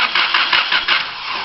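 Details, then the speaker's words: 1992 Honda Civic that stalled and won't start: starter cranks with an even chug about five beats a second but never catches; no spark, no injector pulse, no fuel pump signal while cranking, though PGM-FI tested good. "So there is no spark, there is no injector pulse, there's nothing going on here."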